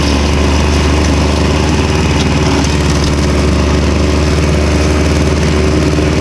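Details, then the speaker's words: Victa Super 24 / Super 600 70-series two-stroke mower, first mow in years after carb split and clean plus new fuel, started cold: loud, steady, even two-stroke buzz at constant speed with no misses, popping or surging; running normally. "For anyone with the volume up, these things run loud."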